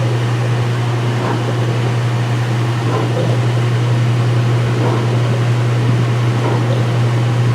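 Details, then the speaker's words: Speed Queen washer, front panels off, white bed sheets, high-speed spin drain: even motor hum with soft pump surge every couple of seconds, wattage rising with each surge as pump takes load; normal. "Every time the pump makes that sound, the wattage goes up. Yeah, probably because it's getting a little bit more load."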